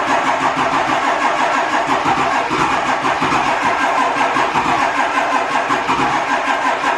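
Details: 7.3L Powerstroke diesel running on four cylinders: lumpy, uneven idle with a loping beat, half the cylinders not pulling; one bank dead from an injector harness fault, later fixed.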